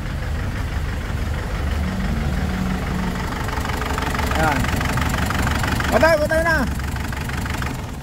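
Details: Ford Everest diesel with white smoke after valve cover gasket replacement elsewhere: uneven idle with irregular stumble about three times a second and loose knocking beat; number two cylinder unresponsive when its injector is pulled; broken rocker arm or valve suspected.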